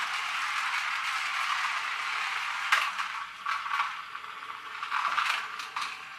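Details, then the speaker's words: Magic Track toy car after a superglue repair: a high buzzing gear whir runs steadily with light clatter as it laps the track; the drive sounds healthy and no longer slips. "Forrester now it works bit of superglue back in business and escapes"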